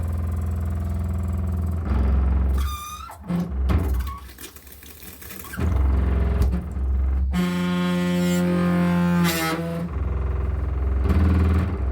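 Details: Hot water supply pipe running from the boiler under the bathtub hums with vibration: a steady low drone with brief dips.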